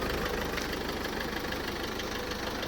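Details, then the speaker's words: Mercedes Sprinter 906 with OM651 2.3 diesel, after fixing an injector misfire: rapid, even knocking at idle that keeps pace with the engine and grows when revved; owner suspects connecting-rod bearings, cause unconfirmed. "Слышен какой-то странный шум, похожий на стук, что-то там есть."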